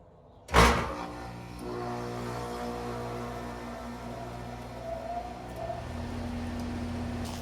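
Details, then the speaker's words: Goodman 3-ton AC without soft start, before installing Micro-Air EasyStart Flex: one heavy loud jolt as compressor starts, then steady normal hum; hard start from inrush current. "All right, so hopefully you could hear that pretty well. It was a pretty loud jolt when that compressor came on."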